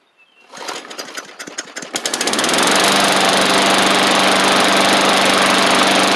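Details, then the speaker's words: Bolens push mower, Briggs & Stratton Classic engine after repairs including carb kit: coughs and catches, then steady even buzz with no misses; runs great, maybe slight water from washing. "got a little toggle switch on it and so I'll let it run for a little bit just to make sure it's all good but man it's she's cruising along"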